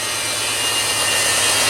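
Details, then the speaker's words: Sears factory-refurbished washing machine on spin cycle: loud steady rushing roar with a hissy top end and low hum underneath, likened to a jackhammer or missile, far too violent for a normal spin; owner has never heard a washer do that, cause unknown. "never heard of a washing machine that does that but what I don't understand though is it's that powerful on the spin cycle"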